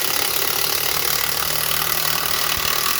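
Fast steady rattling hammer of an impact driver sinking a screw into wood, even and strong throughout; tool working normally.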